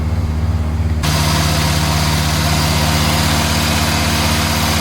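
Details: 61-year-old one-owner Morris Minor 1000 four-cylinder, just after cold start on choke in neutral: steady even tickover with low rumble, no knocks or misses; healthy idle, engine shows no major leaks.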